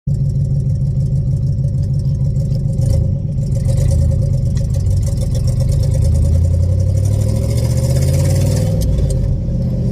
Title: I really should fix that exhaust leak